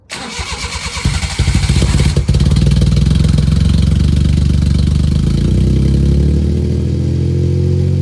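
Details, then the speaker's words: 1993 Suzuki Carry after a replacement exhaust was fitted with a temporary flex-pipe setup: it catches after a brief crank and settles into a low, steady, even rumble with a deeper, more enjoyable exhaust tone. "got a pretty deep tone to it uh it's kind of a more enjoyable deep tone than"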